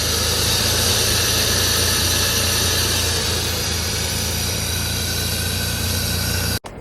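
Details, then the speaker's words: Abandoned E34 BMW 535i, M30 engine, sat 12 years: smooth, quiet idle with a steady low rumble and hiss, no tapping or misfire, then abruptly cut; a little smoky but running very well. "Got a nice little purr to it. A little bit smoky, but then again, hasn't been running for quite a long time. But yeah, she's running very well."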